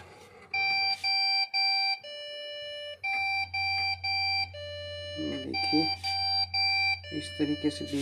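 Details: Desktop PC at power-on with no display: repeated continuous high electronic beeps over music, pointing to RAM modules that need cleaning and reseating. Continuous beep, RAM fault.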